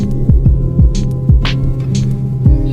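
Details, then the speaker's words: Vehicle climbing at about 1,500–2,000 rpm after the rough G219 road; a heavy drone with pulsing throb, vibration and repeated thuds, found to be a dented underbody guard hitting the engine oil pan, not an engine fault. "哦，它的那个声音就是这里凹进去，然后碰到发动机了。哦，我还以为发动机出什么毛病了。"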